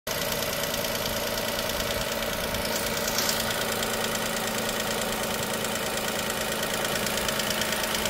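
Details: Dacia Sandero SCe 75 at idle: light fast ticking about three times a second over steady idle; ticking noise, cause not yet pinned down.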